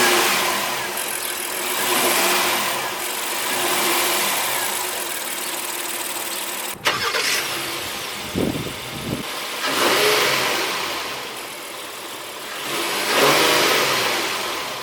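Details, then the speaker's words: 2017 Honda Pilot Elite AWD on regular unleaded, about 80°F outside, after the cooling fan shut off: the engine starts cleanly, settles to a smooth idle, and two quick blips rise and fall evenly with no knocks. Healthy. "So let's hear how the Pilot sounds. Pretty nice."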